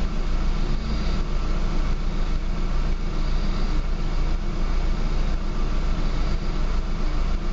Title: Rough idle